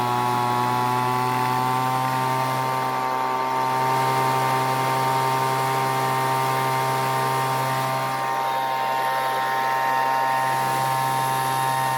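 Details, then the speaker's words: Weed Eater leaf blower that wouldn't start after long storage, after richening L screw half turn and H screw quarter turn, then setting H screw just past max speed for extra fuel; high steady two-stroke scream at full throttle, constant pitch, no surging — normal high-speed running. "i then adjusted the h screw to find the max engine speed and then turn it just a little bit more for extra fuel to keep the engine from running hot and burning up the engine"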